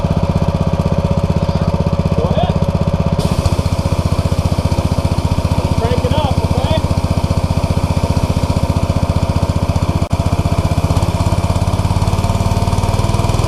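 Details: New Simpson ALH 3228 pressure washer with Cat pump, first use: small engine pulling steadily at full throttle under spraying load, even pulse, no misses or surging; delivered 3,400 PSI, no problems.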